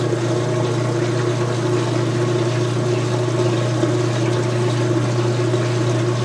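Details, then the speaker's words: Speed Queen washer, front panels off, load of white bed sheets, on wattmeter: high-speed spin drain drawing up in the 600s watts; steady low hum, constant motor drone and gurgling pump, normal. "Now this is going to be a high-speed spin drain, so we will see higher numbers than before. Oh yeah, up in the 600s."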